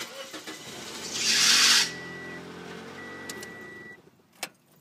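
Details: 2007 Toyota Yaris: sharp one-second belt screech as the engine catches on a fast key turn, then steady idle; new fan belt helped only temporarily, slow key turn avoids it; suspected faulty computer signal to the alternator.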